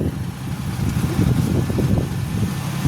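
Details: Green Turbo kei car engine idling with a low, slightly uneven rumble and no knocks or squeals after battery connectors were cleaned, a new battery cable fitted and ground faults fixed; a chicken-bone fragment was pulled from the intake manifold. Normal idle.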